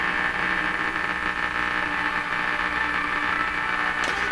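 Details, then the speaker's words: 1940s Canadian Red Cross tube radio during repair: constant hiss and crackle over a steady hum with no clear station coming through; noisy reception, cause unknown. "fact that it's picking anything up here is very good very good that's just terrible that noise"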